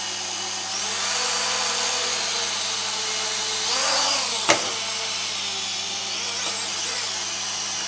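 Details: Syma X3 quadcopter on the ground after throttle-max binding with the transmitter: a steady, high-pitched buzzing whine from the small motors, holding even with a slight swell midway; the motors spin up normally.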